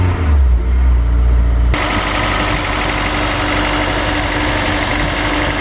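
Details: Honda S2000, about 80,000 miles, after replacing all four spark plugs, check engine light on: uneven loping idle about two pulses a second; rough idle misfire on one cylinder, coil pack suspected.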